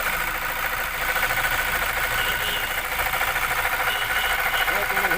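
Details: 2017 Toyota Fortuner diesel at idle: steady, fairly high-pitched whine over the clatter that won't stop, easily mistaken for the engine; worn alternator bearing.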